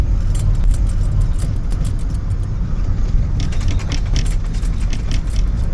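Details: Campervan driving: metallic jangling and rattling inside over a deep, steady road rumble.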